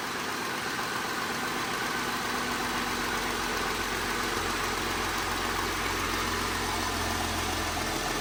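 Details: Jeep Grand Cherokee after maintenance and coolant refill, with penetrating oil burning off the exhaust manifold: steady, even idle with a soft low hum and no knocks or misses; normal idle.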